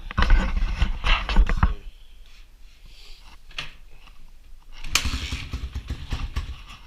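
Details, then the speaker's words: Honda XR200 single-cylinder after a rebuild with a new transmission and other new parts, first run and low on fuel: crisp blips dropping back to a quiet, even idle with no knocks or rattles; normal running. "I'm not going to complain with the way that sounds."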